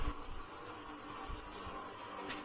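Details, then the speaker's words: Car wash spot-free rinse pump: low rough whir with uneven surging, no steady note; sounds unhealthy, cause unclear. "Okay, that doesn't sound very good. But again, if it's working outside, there's not a lot we're really going to do about it."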